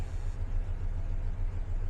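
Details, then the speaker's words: 1999 Dodge Ram 1500 V8, cold start while being revived from a non-running state: fires right up without touching the gas and settles into a deep, even low rumble with a steady pulse, no knocks or misses; normal cold idle. "we are cold it is hund it's cold let's see if she starts up man fired right"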